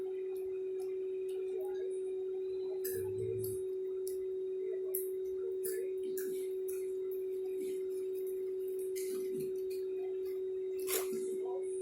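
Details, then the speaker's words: New Q9 wireless Bluetooth microphone, unboxing test: steady mid-pitched hum persists unchanged, getting louder as volume is turned up and disappearing when turned down; constant hum fault. "Masih kedengeran ya dengungnya ya."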